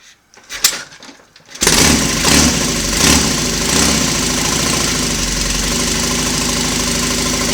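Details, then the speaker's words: Royal Enfield Constellation twin, cold start the morning after first running on both cylinders: a few cranking clicks, then catches and settles into a steady, even idle; no smoke, no wet sumping, slightly sticky throttle cable. "no smoke because there's no wet Sun is and a slightly sticky throttle cable this morning"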